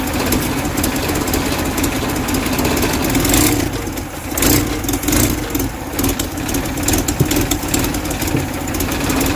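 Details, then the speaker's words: 1969 Mustang body on a 2.3L engine with new hybrid HEI ignition and NOS distributor, just started: catches quickly, brief dip and recovery, then a steady even idle; healthy engine, oil pressure 69 psi soon after. "I had that distributor right on point because this thing popped off with no problem. Sounds like a pretty healthy engine so far."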